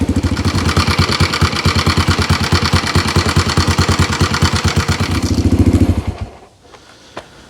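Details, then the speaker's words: 1987 Honda 250X ATV single-cylinder after cam and rocker arms installed: even, steady idle thump with only the normal Honda tick, earlier extra tapping and chatter gone, then clean shutdown; healthy. "So really all I'm hearing is your normal Honda tick. And that's just normal. Big difference from what it was, all the chatter and everything."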